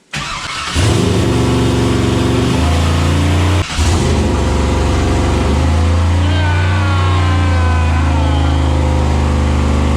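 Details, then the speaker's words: 6.0 CUCV new engine on its first start, no coolant yet, idle set at 900: fires and holds a fast, even idle well above normal; high idle from the idle setting, to be turned down. "yeah man it's idling super high - I have it set to idle at 900 so it sounds like I can turn that down a little bit"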